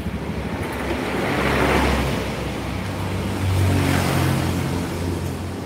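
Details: Honda Beat scooter after repair of rattle and belt squeal: smooth even engine note rising and easing with throttle, no squeal or clatter; power good, runs normally.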